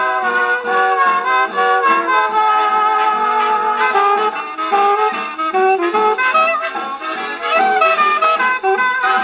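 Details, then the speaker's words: HMV 101 gramophone with No.4 reproducer, spring motor cleaned of solidified old grease: record plays clearly at steady full speed with no dragging or pitch sag; motor and reproducer working properly. "And there you go. That sounded pretty good. Reproducer's doing well, and the motor powered right through that record."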